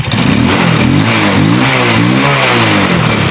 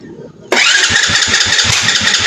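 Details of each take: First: Rusi motorcycle, probably a 110, that had backfired and wouldn't start, with a wet, rusted high-tension wire and rusty plug cap found: small single revs up and settles with a crisp even beat, no backfire or misfire; running properly. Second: Rusi motorcycle, probably a 110, no start: loud hissing crank with uneven low thumps and backfire that never catches, until the battery runs down.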